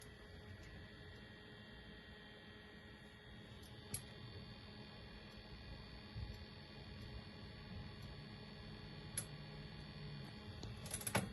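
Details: Arctic Freezer VRM fan that always runs at 100%: steady whine with irregular ticking and a scraping rub.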